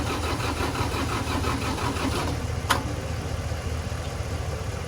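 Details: Tractor diesel cranked on jumper cables from a dead battery while the bucket is lifted: slow, uneven cranking rhythm that never catches; cranks but won't start.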